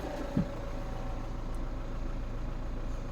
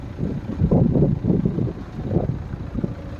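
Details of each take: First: BMW N47 diesel in a Mini, first start after two years and rebuild with new oil pump and chain; starting clunk then lumpy idle with a light rattle, owner attributes it to a missing injector seal: injector seal leak rattle. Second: BMW N47 diesel in a Mini, first run after rebuild with new oil pump and chain following two years stored, one injector seal missing: soft, even low diesel rumble with no knocking or rattling, remarkably quiet. Normal idle; it later passed its MOT.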